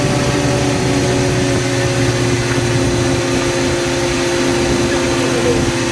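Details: Toyota KE10 Corolla first run at about 2000 rpm for 10–15 minutes: loud steady fast idle with a raspy hiss over the exhaust note. Exhaust leak, which sounds like it is at the front where the extractors meet the cylinder head.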